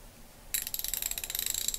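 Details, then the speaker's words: Capri CP12300C 3/8-inch drive ratchet, 72 teeth, 4-degree arc swing, bat-wing pawl, little back drag: crisp light clicks evenly at about fifteen a second; the pawl ratchets smoothly and normally. "you can hear, it has a very light ratcheting sound."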